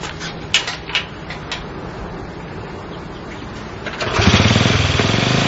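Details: Honda CL70 single with idle set higher than before: uneven, popping low-speed running for several seconds, bogging as the throttle opens, then picks up and revs harder. Jets already raised 73 to 75 and 38 to 40; cause suspected, not confirmed.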